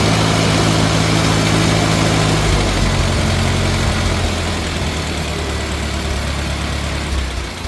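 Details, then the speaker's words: Rebuilt 1950 Farmall Cub engine with pop-up pistons, after a magneto and on-off switch replacement: an even low putter at idle with no misses, knocks or smoke, quiet and healthy. "So she runs pretty damn good. Had to replace that magneto. Sounds good, sounds quiet. No smoke. Purrs like a kitten."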